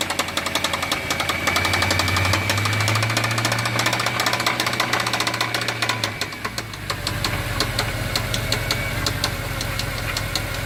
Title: C63 Loud Engine rattling noise